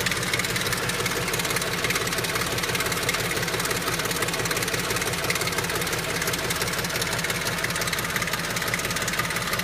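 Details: BMW X5 4.6is with M62TU V8 at idle; busy metallic top-end rattle pulsing about three times a second, owner asks whether it is VANOS rattle or something else; engine rattle, cause unconfirmed.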